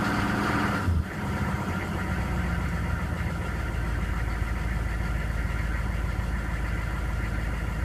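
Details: GM K2500 with 6.5L diesel, first run in a year: after a brief start-up stumble, steady idle with a loose, irregular knock running under it; cause not yet determined.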